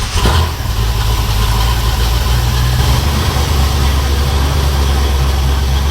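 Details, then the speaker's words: 1957 Ford Fairlane 500, first run after two months of restoration, checking transmission movement; loud deep steady idle rumble with heavy low throb, no muffling, because the tailpipes were cut off; loud exhaust. "it's probably going to be loud cuz we cut those tail pipes off"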